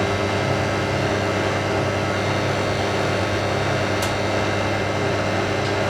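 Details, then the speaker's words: Hotpoint 9530 Electronic 1000 Plus washing machine, after repair (burnt neutral wire on mains lead replaced), final spin with twin bedding load: even, steady whirr and hum at spin speed, no thumping, banging or grinding; smooth, healthy normal spin. "All we've been waiting for, the final spin. Beats me nice and smooth."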